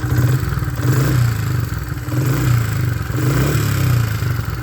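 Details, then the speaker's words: Honda CRF70F with a new aftermarket (eBay) top end, restored: single cylinder blips up smoothly and drops straight back to a steady, even idle; crisp, healthy rev and return to idle. "it just drops right back down to an idle great little bite so i'm glad that it went together so nice"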